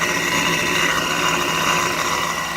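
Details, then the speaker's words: 2008 Jeep Wrangler, RIPP supercharger just installed: loud steady rushing hiss with high whistle over smooth idle, no knocks; noise is the intake at the open filter, normal; TPS code cleared, no fuel leaks, belt alignment good. "It's idling fine. Noisy little sucker. All that noise you hear"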